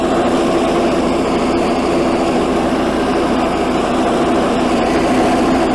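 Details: 1984 Workhorse GT100 with stock 212 Predator swap, mowing via factory PTO deck; steady even drone holding speed under mowing load, no knocks or surging; normal engine running under load.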